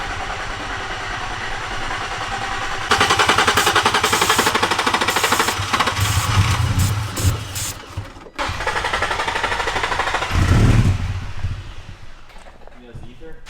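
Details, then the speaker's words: Nissan 350Z with about four gallons of fuel: long cranking with only brief catches on ether, then dies; no fuel pump hum heard, owner suspects a bad fuel pump in the replacement tank. "all right guys so the 350z is not starting right now sean only put about four gallons in there but can't hear the fuel pump it doesn't sound like anything"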